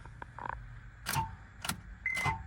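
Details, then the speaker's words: Auction vehicle, not expected to start, cranked to hear the engine turn over: just three dull clunks about half a second apart with no cranking rhythm. The starter engages but the engine is seized, locked right up. "Oh, she's locked up. She's locked right up. So I know that sound."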